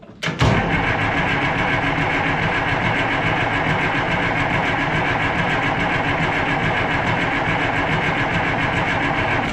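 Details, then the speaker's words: Oliver 1800 tractor diesel with a Stanadyne (Roosa-Master) injection pump, fuel reaching the lines. Fast, even starter churn continues the whole stretch without the engine catching, and smoke has stopped. Owner suspects air in the fuel system. "But now I don't have smoke anymore. I'm guessing they've got some air in the fuel system somewhere."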